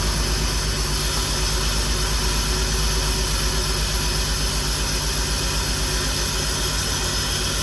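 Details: 2003 BMW 325xi (E46) at first start after a new fuel injector install: uneven, lumpy pulse of two to three beats a second over a hollow drone. Owner attributes it to the airflow sensor; no leaks seen. Rough running.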